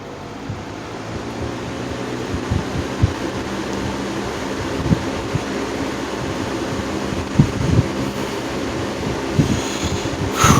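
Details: 1950s Wizard reversible box fan after cleaning and service, back on high speed: steady airy rush with low motor hum, even apart from light handling bumps.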